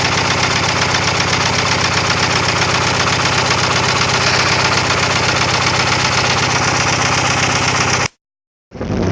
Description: 99 gst spyder. down an injector and throwing codes for egr and tps.